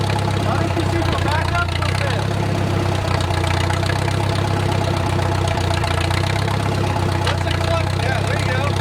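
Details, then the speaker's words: Wartime H tractor, last run around the 80s or 90s, at full operating temperature after a slowed idle: a steady, low, even putter with no knocks or misses and great oil pressure, a normal idle. "got G going I don't hear any knocking to you we are at full operating temperature and we still got great oil pressure"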